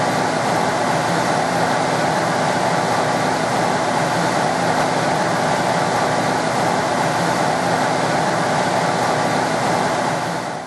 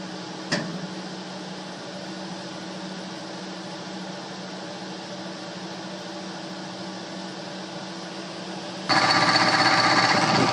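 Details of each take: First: Two-speed blower motor, now running with a new start capacitor: steady, even rushing whir, no grinding or rattling; the old motor was very noisy on high speed from a bad bearing. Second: Two-speed blower motor: a quiet hum that becomes a loud, rough, rattling roar on high speed from a worn bearing, which was replaced. The replacement motor needs a start capacitor.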